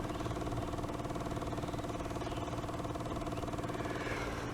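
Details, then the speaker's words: Onan 4000 RV generator, carburetor gummed by ethanol fuel, pulled out and run on a golf-cart battery: even ticking about three per second under low hum as the fuel pump primes after the fuel line was disconnected; normal. "so i'll prime it first because i disconnected the gas can you hear the the fuel pump going"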